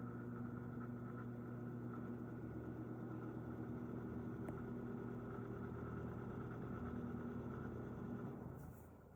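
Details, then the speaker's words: Vintage 1980s Tatung 12-inch three-speed oscillating table fan, cleaned, oiled and motor-serviced, on low at 121.7 V 60 Hz drawing 0.335 A, 2 µF capacitor; steady, quiet, even hum with faint drone, no squeal or rattle. "Wow, that is just so impressive. We are pulling 0.335 amps and the power factor is one, so it's perfect. This is a very efficient fan."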